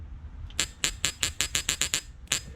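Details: Bosch CP3 fuel pump from a 2009 6.7 Cummins, pump dated 8/2022, with its solenoid bench-tested on a battery: crisp, clean, snappy clicks, about nine in under two seconds, no buzz; the solenoid pulls in properly.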